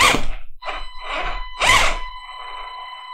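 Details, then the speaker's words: Kyosho Fazer Mk2 MadVan RC car after spur gear replacement and slipper clutch loosened; short bursts of high steady squeal as the slipper slips lightly while still driving all four wheels; normal, versus earlier cracking from too-tight slipper. "That high-pitched squeal is basically the slipper clutch working, but"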